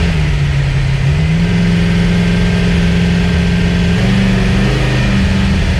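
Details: Chevrolet S10 with V8, new DIY budget 3-inch true dual exhaust with TOTALFLOW mufflers, flux-core welded: deep, even V8 burble at idle with smooth rev rises, no ticking or knocking, quieter now; normal idle and revving.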